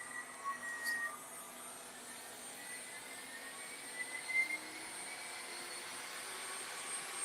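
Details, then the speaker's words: DWC2440 CNC carver's brushless water-cooled spindle running without load, vacuum switched off: a faint, smooth high hum at a steady pitch with no knocks or rattles, far quieter than a router. Normal running. "That is the water-cooled spindle, ladies and gentlemen. Now imagine if you were standing this close to your router, the sound difference. Amazing."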